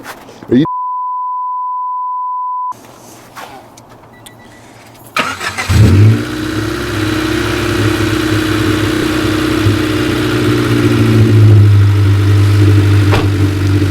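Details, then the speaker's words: 1995 Honda Civic 1.5L just started: runs fine at first, then idle swells and sags rhythmically instead of holding steady; fluctuating idle from misadjusted fast idle thermo valve (FITV); fixed by FITV adjustment and coolant bleeding. "So it seems to run fine right when it first starts up. Right. But give it a moment and then the problem becomes immediately evident."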